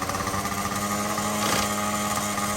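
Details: Yamaha BW80 barn-find ATV, small two-stroke, after carb cleaning: fast, steady buzzing idle with a constant tone; owner suspects it is idling too high, not confirmed. Clutch later found slipping.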